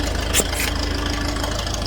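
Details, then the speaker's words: Old grey Fergie tractor, first start on choke after years sitting in a field: an even, low idle putter with a regular beat and no misses or knocks, a bit of smoke, running like a Swiss watch. "they getting a bit of smoke yeah all oh yeah isn't she running and don't she run like a Swiss watch"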